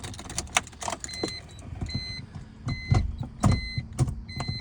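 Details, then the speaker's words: Big-turbo BMW E46 with M52 tune, not yet tuned, in neutral, fresh fuel added, spare tired battery: starter drags the engine over in slow, uneven heaves with chimes in background; slow cranking from weak battery. "This battery is just too tired. But that is a good sign."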